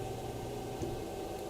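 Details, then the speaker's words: Fokoos Odin-5 F3 folding 3D printer with silent drivers, new out of the box, moving the head between points during bed levelling: soft even hum with no clicking, grinding or stepper whine; very quiet normal motion. "oh dude it's so quiet oh my gosh oh my goodness"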